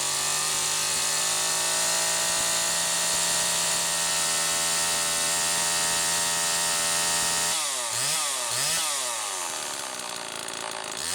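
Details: Homelite XL-2 chainsaw after bar maintenance, test run checking oiler: steady high-pitched two-stroke buzz, throttle drops and picks back up cleanly, runs even; sprocket somewhat worn and noisy; normal running.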